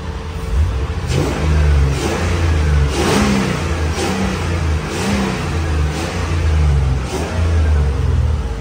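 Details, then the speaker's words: 1986 Range Rover Classic swapped to an LS3 V8 with 6L80 transmission, just completed; about seven quick throttle blips, deep V8 roar rising and falling cleanly with no knocks or misfires, healthy revving. "Everything is working. The headlights, everything is working. You can hear the roar."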